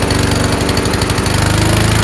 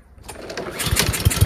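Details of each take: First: Honda-powered Troy-Bilt TB240 self-propelled mower after carburetor cleaning: rough, rich running for two seconds as the automatic choke stays closed, then a backfire pop as it opens and idle smooths; choke sticking closed. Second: Troy-Bilt TB240 self-propelled mower with Honda engine, after carburetor cleaning, engine hot: catches and settles into a steady, even beat with strong low thump and no misses; now running properly.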